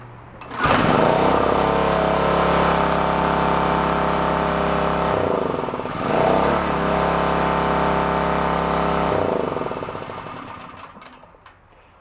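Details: Onan K450 portable generator, yard-sale unit that sat a long time, restarted after oil change with covers back on, choke off: starts promptly, even steady hum with one brief dip and recovery, shuts down cleanly; running healthy.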